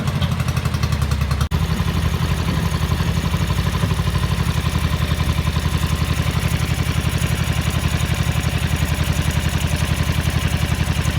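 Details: 1983 Ducati MHR bevel-drive twin, 40mm Dellorto carburettors during balancing at relatively high idle: lumpy, loping irregular beat as if running on one cylinder until the idle screw is adjusted; carbs out of balance.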